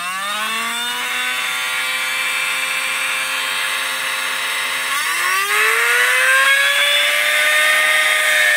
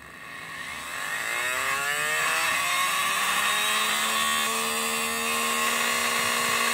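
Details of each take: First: 12 V DC motor switched directly to 24 V supply; high whine jumps and keeps climbing, screaming hard, then the motor starts burning and burns out completely from overvoltage. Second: 12 V DC motor, opened, run on 12 V; as a magnet is brought closer the rpm rises, steady whine climbing in pitch, smooth with no knocks or grinding; normal running.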